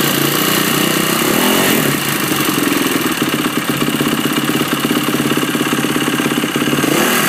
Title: YZ450f engine noise?